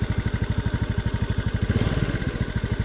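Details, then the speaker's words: Honda Beat FI (K44/K81) scooter, hot engine idling and revving: rough, heavy uneven clicking knock, not from loose valve clearance; usually piston area, attributed to loose valve guide. Complaint: weak power on hills, rough when hot. "Bukan ini suara ini Ketika saya gas atau langsam seperti ini ada suara kasar seperti ini ngiklik seperti ini"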